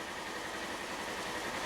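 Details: 2018 Polaris Ranger XP 1000 right after replacing the brake pressure switch and starting with a light brake pedal: a steady, even idle with a constant drone and no stumbles, ticks or hunting. The engine sounds healthy.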